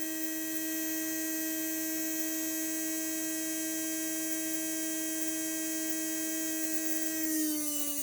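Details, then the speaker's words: Heljan Class 23 model locomotive motor, removed and bench-tested at full power, drawing about 1.5 milliamps. Clean, steady high hum at one pitch, then winding down as power is cut. Motor healthy, no sign of failing. "well I'm not seeing any evidence to suggest the motor's on its way out"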